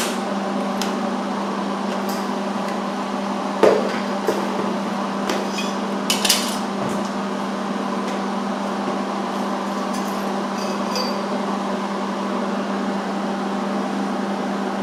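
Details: MIG welding a full butt joint on roll cage tubing: a steady, even sizzling crackle over a constant low hum, with no popping or sputtering. The welder is set right and the welds look nice on the outside.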